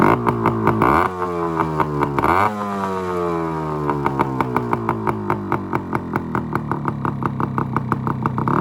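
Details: 1974 Yamaha RS100 two-stroke cafe racer after points timing: loud crackly blips revving up and dropping back, then quick even popping through the loud exhaust; running healthy, burning off oil sat in the exhaust for years.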